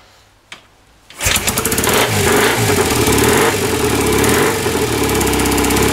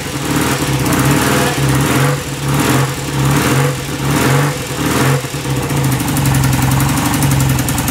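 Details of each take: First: 1967 BSA Spitfire twin after correcting ignition timing with timing tool, carburetors tickled, a bit of throttle: catches after brief kick and settles into steady even twin beat with no misses; timing seemed to be the starting fault. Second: 1967 BSA Spitfire twin, hard to start: heavy kick bursts catching, then a short uneven struggling run; electronic ignition timing found set too far advanced.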